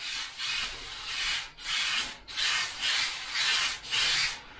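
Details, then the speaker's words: Airbrush at full 25 psi with unthinned thick paint: about six uneven bursts of gritty rough hiss with short breaks, spatters grainy instead of misting; needs a little water to thin. "so it is spraying this but it's a little bit grainy and you can hear that brush the air pressure and the air sounds very gritty as it's coming out when you hear it so that's when you know you've just gotta drop a little bit of water in"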